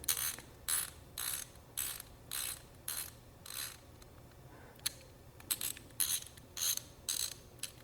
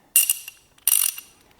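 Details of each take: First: Ratchet wrench after disassembly, cleaning and fresh grease: soft, muted clicks in short bursts, super quiet and normal; less grease would make it louder. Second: Socket ratchet wrench before cleaning and greasing: three harsh bursts of loud, rattly, bright metallic ratchet clicks from a dry, unserviced pawl mechanism.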